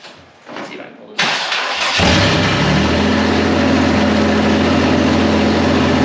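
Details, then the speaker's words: First start of a turbocharged 1951 Chevy rat rod after a chassis swap with new exhaust and intake. It cranks briefly, catches on the first crank and settles into a steady, even idle with no knocks or misses. "we have some stuff we have to figure out but i mean it's running i'm so excited"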